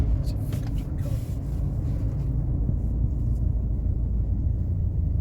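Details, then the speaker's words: 2012/2013 VW Amarok 2.0L diesel automatic, road test coasting downhill in gear after replacing the worn tail-shaft universal joints that caused a vibration on deceleration: steady low drone, no thump or shudder, smooth, fixed. "smooth as anything smooth as no problems this thing's fixed right"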